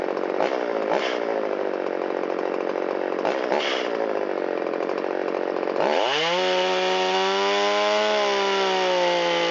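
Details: Shindaiwa 360 chainsaw, long-stored, Walbro WT-89 carburetor, reassembled with air filter and cover, checking response off idle and crank seals: revs blip up crisply and drop straight back to a steady, even buzzing idle. Normal idle and throttle response.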